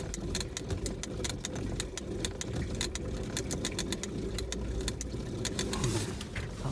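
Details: Shurflo 12V 30psi water pump in an off-grid camper van water recycling system, after adjusting the cold water feed so the tap stops clicking on and off: quick, even ticking pulse holding steady; pump running normally.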